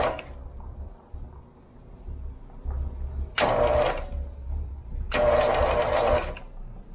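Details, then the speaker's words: Free lawn mower, first crank after refitting flywheel, battery charger connected: two short bursts of starter churning, no firing; turns over but won't start, sounds like low compression, unconfirmed. "doesn't sound like it has compression but the starters working"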